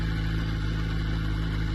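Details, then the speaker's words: Crashed 2006 Yamaha R1 at idle: a faint rattle over the steady drone while the clutch lever is released, which stops when the clutch is pulled in; suspected clutch release bearing, unconfirmed. "So when you release the the clutch, there is the sound. But when you press the clutch, the sound stopped. So probably there is the problem with the release bearing or something like that."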